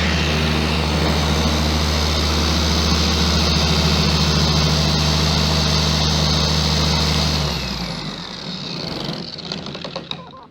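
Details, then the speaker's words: Bauer 56367 dual-action polisher at high speed, speed six: heavy throbbing low hum with strong vibration that worsens under pressure, then winds down; poor balance suspected, later addressed with a new backing plate and grease. "so you put you put any kind of pressure on it and the vibration gets even worse"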